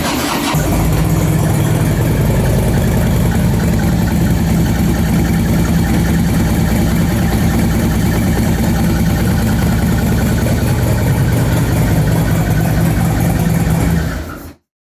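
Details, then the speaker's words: 2008 Harley Softail, 3,000–4,000 miles, after a horrific squeak started on a ride: lumpy V-twin idle with a quick repeating chirp, about three per second, like the cam contacting something. A failed roller lifter is suspected. "It's almost like a chirp chirp chirp chirp chirp and it's like that cam is making contact with something is what it sounds like as it spins around."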